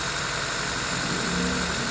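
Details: Honda Civic petrol engine idling high and steady with the check engine light on and a clean exhaust; the idle air control valve's signal wire gets no output from the ECU, so the computer is suspected.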